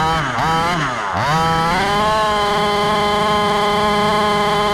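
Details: Rovan Baja 5B fifth-scale gas RC buggy after crash repair, test run; buzzy small two-stroke blips up and down, then holds steady high rev with no misses or rattles; normal running.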